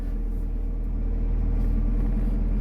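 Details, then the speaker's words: Abandoned Mazda 323 Familia, B6 twin-cam conversion, just started for the first time in 5 years; steady low even rumble with no knocks or misses, a healthy petrol idle that sounds pretty good. "What a beast. And to be honest, it actually sounds pretty good. Not gonna lie."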